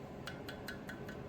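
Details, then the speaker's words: Refractory Rhino kiln burner, run hard, broken by hand, glued back with high-temperature refractory adhesive and thermally cycled 4-5 times: five light taps each leave a bright lingering ring instead of a dull thud; refractory is cracked. "It's got a ring to it. It is cracked."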